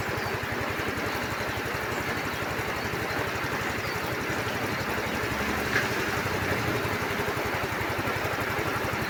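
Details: Yamaha Mio i scooter after a no-start repair, blown-fuse issue, with battery, lights and horn checked; small single-cylinder engine idling with a fast, steady putter and no hesitation; normal idle.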